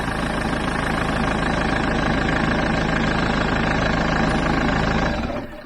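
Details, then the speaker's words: Diesel van with a StopMyEngine 12V Bluetooth immobiliser, recorded at the front of the engine: steady clattering idle, then the engine dies abruptly about five seconds in when phone Bluetooth is turned off, and the horn sounds; immobiliser shutdown. "And the engine has stopped. There. And at the moment, the horn is sounding all the time."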